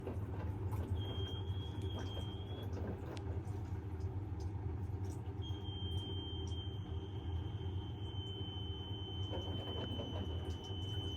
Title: Bosch - Very strange noises + unbalanced spin